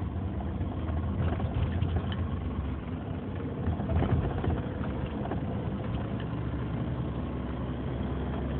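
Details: 2003 Nissan Murano at steady low idle with an irregular rumble and faint scattered ticks; owner reports a strange engine sound, cause unclear.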